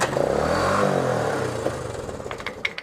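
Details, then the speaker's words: 1972 Honda CT90 K4 single-cylinder after a carburetor rebuild, idle being adjusted: the engine revs, then sags and stumbles back toward idle, and the idle speed is still not settled. "Keep it running and let me take the throttle, okay? Alright. I have to find out where it sits."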